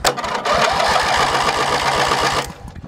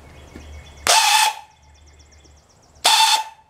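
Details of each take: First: Hechinger (MTD) lawn tractor cranked with a borrowed battery after a weak-starter check: starter spins the engine with an even chuff of about four compression strokes a second for two seconds; healthy, normal cranking. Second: Hechinger (MTD) riding tractor, weak starter cranking: two short half-second spins, each a harsh rough whir with a thin whine, silence between; owner suspects bad starter bearings, not confirmed.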